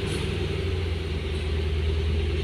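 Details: 2008 Ford Mustang after a no-start was fixed (bad wire) and the battery reinstalled: low, even petrol idle with a steady rumble and no misses or knocks; the engine sounds healthy.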